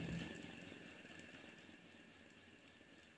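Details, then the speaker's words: Ceiling fan taken down and spun hard by hand, coasting with only a soft, smooth bearing hum and no rattling, squeaking or grinding; bearing is in good condition. "इसमें सिर्फ जो है कि bearing की घूमने की हल्की हल्की गुनगुनाहट आ रही है। तो इसकी बेयरिंग एकदम ठीक है।"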